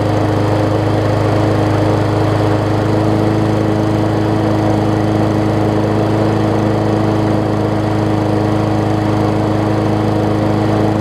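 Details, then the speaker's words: Murray 20-inch 3.75 hp mulching push mower, long dormant with a stuck-open intake valve that was freed, after an oil change with Seafoam, new air filter, primer bulb and pull rope, and the governor vane freed: steady even hum, no surging or hunting, governor working, much better rpm. "so let's see how it runs now also kind of freed up that vein a little bit for the uh for the governor much better in the rpm department"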